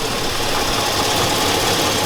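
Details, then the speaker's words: 2002 Chevy Avalanche 5.3L at idle: harsh, busy idle with rough tapping mixed in; owner suspects loose material in the left-side catalytic converter, unconfirmed. Engine smells hot; rear main seal and valve cover gaskets also leaking. "I know for a fact that Cadillac converter in the left side is loose stuff is loose in there that might be - tapping - maybe it's passable it's possible it's hard to tell it's very hard"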